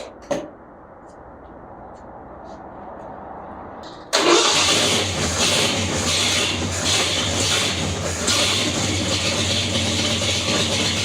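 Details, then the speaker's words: 1978 Ford F150 with 351M V8 after pickup coil replacement fixed a no-spark fault. Cranks briefly, fires right up into a loud, steady idle with air compressors humming nearby; starts and runs healthy. "All right, heck yeah, guys, she's running. So that fixed our issue with our spark. She fired right up. It's a little loud."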